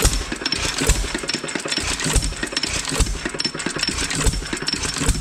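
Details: Roughly 100-year-old 2.5HP Alpha DeLaval single-cylinder hit-and-miss engine with Wico EK magneto and original spark plug, started choked and retarded with the oiler on: heavy irregular firing beats about every two seconds with clattering valve gear; starts and runs fine.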